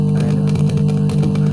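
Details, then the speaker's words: Simbadda active speaker with subwoofer: heavy bass music with brief scratchy crackling from the subwoofer, caused by a dirty volume/bass potentiometer; driver and power amplifier circuits are fine. "Di potensio base untuk atur petugas sama ya ada bunyi kresek-kresek di bagian subwoofernya"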